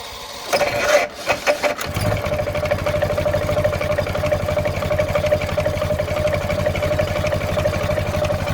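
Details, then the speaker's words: 1923 Ford Model T Speedster with rebuilt Ruckstell two-speed axle and alternator: catches after a few cranks, settles into a smooth, even putter with a slight knock from a worn-out, high-mileage engine; otherwise a correct healthy idle. "So we'll go ahead and fire this car up, and you can kind of hear what it sounds like and what a really good idling car should sound like if you come across one."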